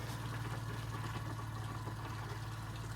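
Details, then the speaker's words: Camp Lite Living Light camper trailer with a newly installed Class A Customs water pump: steady low electric hum with a light even pulse, no rattle or strain, as the pump builds pressure; normal running, pressurizing the system. "That will tell us the whole system is pressurized."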